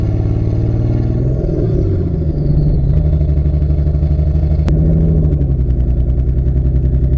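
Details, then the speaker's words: Barra-swapped Mustang drift car, faulty cylinder one injector not firing: lumpy, uneven idle with stumbling beat and brief rev blip, running very poorly; AFRs pegged lean over 17, cylinder one reading 40% colder: misfire from faulty injector. "it fires up it idles but something is very much not right it is running very very poorly"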